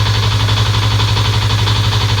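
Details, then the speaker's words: Fuel-injected motorcycle idling on a weak 11.9 V battery: busy light clatter over a low thrum, said to come from the cam chain (keteng). The injector also tested as weakening. "Mohon maaf kalau suaranya ada keletek-kletek. Itu suara dari Keteng ya, Guys."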